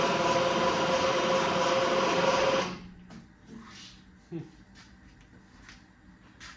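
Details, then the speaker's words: 1970 Triumph TR6 cranking with a second, replacement starter: sluggish, laboring crank about four turns a second for under three seconds, never catching; starter suspected tired, cause not confirmed. "so let's give it another try oh my God that's not very strong [Laughter] either holy moly do we need another"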